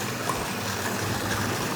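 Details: 1962 Dodge Lancer wagon engine that sat in a barn over 20 years, started with old fuel in a leaking tank, accelerator pump stuck, throttle worked by hand. Rough, busy note under throttle with no clear knock. The long-stored engine runs.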